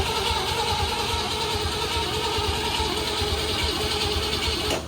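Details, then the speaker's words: Project car that hasn't run for an unknown time, cranking with the ignition coil manually powered at 12 volts. The starter churns at a steady rate but it never catches; no spark reaches the plugs, and a spark tester is needed. "Yeah, let's need to get a spark tester. We're not getting spark."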